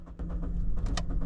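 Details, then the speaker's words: 2013 Toyota Corolla with stalling and hard starting: starter spins the engine in a steady low churn with no firing at all during an extended crank; crank-no-start traced to a dead fuel pump giving no fuel pressure. "oh wow it's extended crank like a big one it's not starting now I think pretty much a crank no that to be honest I think they out of gas"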